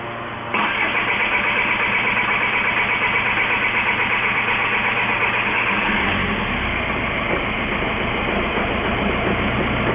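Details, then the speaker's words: 2004 VW Jetta 1.9L TDI BEW engine that ran out of fuel, after priming fuel filter and pump: starter whirs briefly, engine catches into steady even diesel idle; normal start. "And after it gets good and primed, it should push fuel into the head, which acts as the fuel rail for the injector. And so we'll see if it starts."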